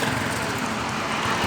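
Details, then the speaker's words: CD 70 small single after replacing the magnet coil: runs steady and even with a fast, consistent beat and no misses or knocks; healthy running. "इसके साथ ही bike start हो गई है। अभी हम इसको start करते हैं आपके सामने। ये ठीक है, आपको नज़र आ रहा है, बिल्कुल स्टार्ट हो चुके हैं।"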